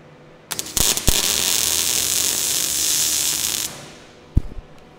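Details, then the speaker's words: MIG test weld before plug welding an HQ Holden cowl panel, welder at its last setting: steady even crackling hiss about three seconds with clicks either side, sounds right. "Yep, that sounds alright."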